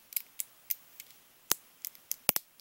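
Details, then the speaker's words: Light, irregular plastic-metal clicks and rattles as a Golden Horizons HPI Savage steering servo-saver adjuster collar is wiggled by hand; the post's threads barely engage, so the loose collar wobbles instead of sitting tight like the HPI original. "but if you can hear that it rattles like crazy and i can actually move the entire thing"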